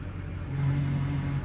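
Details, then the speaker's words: Duramax 2500 diesel pickup, 224,000 miles, brake and ABS lights on: low steady moan rises over idle whenever the brakes are applied, even lightly, then fades; owner first suspected a speed sensor, cause unconfirmed. "the brakes are having a major issue now i thought it was just a speed sensor right because sometimes we'll get that abs light but when i hit the brakes listen to this"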